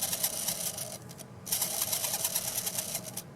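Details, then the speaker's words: Mantua Shifter tender motor after cleaning carbon gunk from commutator slots and brush faces, before oiling bearings; fast high chattering squeak over a light whir, fluttering unevenly, owner suspects dry bearings. "squeaky as it is, I got some life in there."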